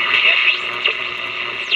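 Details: Montgomery Ward Airline AA5 tube radio, dirty, likely never overhauled, tubes untested: thin hissy audio with crackle and faint buried voice; poor reception, owner suspects a resonant capacitor.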